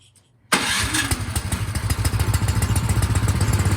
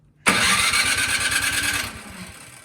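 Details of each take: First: Craftsman snowblower that would not start despite a tune-up last season; carburetor cleaned, test run before reassembly, it starts in half a second and settles into an even, steady single-cylinder thump. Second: Craftsman snowblower that won't start despite a mid-season tune-up last year: quick rope-pull spin chuffs and fades without catching, a crank no-start with the carburetor suspected gummed up.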